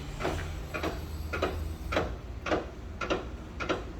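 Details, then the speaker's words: BMW F10 535i with comfort access: with the key in a pocket, sharp door lock clicks repeat about twice a second as you approach the parked car and stop when you back away. The owner suspects a faulty rear passenger door handle. "you can hear the clicking and as soon as you back away it stops"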